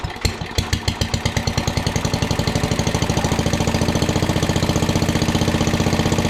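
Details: 1961 International Cub Cadet Original, 7 hp Kohler single-cylinder, first start-up after sitting, throttle all the way down, choked to start, then no choke: settles from a ragged start into a crisp, even thump around four per second, no misses or knocks; running healthy.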